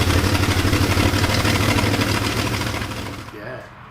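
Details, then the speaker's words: 1966 Continental V8, long stored, on first start and still cold: a rough idle with a sharp, rapid puffing tick on each firing pulse, then it dies. It is an exhaust leak up front; distributor cap and plug wires are suspected to need work. "Smoke coming out of the tailpipes though, that's good. There is an exhaust leak up front."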